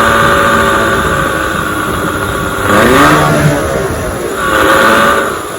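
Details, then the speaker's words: 1996 Johnson 15 hp two-stroke outboard running on a 40:1 fuel mix (should be 50:1), smoking slightly; steady buzz picking up cleanly on throttle blips and dropping back smoothly, pumping cooling water; runs well. "I got a 40 to 1 mixture in my gas because I work on the older Motors so it should be 50 to one so it smokes a little bit it runs pretty good"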